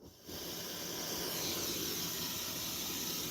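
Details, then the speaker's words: Tascam Model 24 mixer under warranty repair, mic on channel one, fader cranked high: steady loud hiss across the top end with no hum or crackle; excessive noise floor. "Oh my goodness. That's noisy as hell. If you guys can hear that. Oh man. Well, I guess the fader is cranked pretty high, but that's noisy as"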